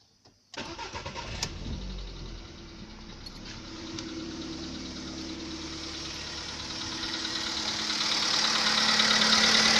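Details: VW Polo Sedan 2015, 1.6 85 hp petrol, 24,200 km, cold start: engine catches and idles with a sharp, even ticking knock about three per second; knock appeared at 14,000 km, present on cold starts.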